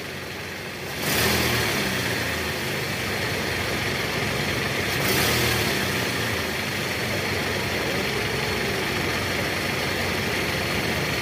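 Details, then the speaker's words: Toyota Camry 2AZ petrol engine in reverse after replacing the loose balancer shaft: blips up twice from idle and settles back, running smooth with no rough knocking; engine sound back to normal. "bagus. Suara mesin sudah kembali normal, teman-teman."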